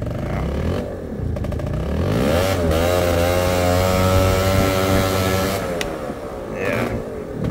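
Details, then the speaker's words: Warm scooter that ran cleanly, choke turned back on (open): engine drones up sluggishly and sags, boggy, doughy and slow at low throttle, hardly wants to take off; rich running from choke left on. "oh already pretty boggy really doughy and slow doesn't want to a either having some real dramas at low throttle"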